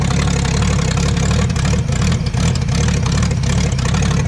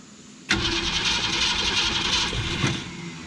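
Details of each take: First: Abandoned 1966 Ford Mustang, with new ignition parts, running on its own; the coil had been installed backwards. Deep, even rumble at a steady idle without stumbles or ticking, though background noise blurs detail. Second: Abandoned 1966 Ford Mustang with carburetor run dry and not primed, fuel pump still filling it. The starter churns the engine steadily for about two seconds with no catch or firing.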